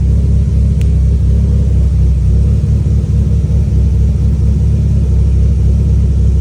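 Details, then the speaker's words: E85 turbo car at idle after the tune was adjusted for a slightly lean idle and a fuel line leak that had made it run rich: steady, even low rumble with no knocks, misses or surges; smooth, healthy idle. "just like that Jack fixed the tune it was just running a little lean at idle we had that adjusted"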